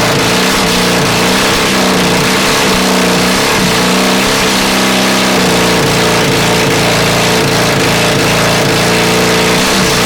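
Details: Honda CB450 project, engine never run before, 400 carbs, 400 CDI, 250 wiring loom, auxiliary fuel tank, first start: loud blipping revs, ragged firing, harsh exhaust crackle, flames from exhaust, sounds awfully hot; rough running with backfiring, mixture suspected.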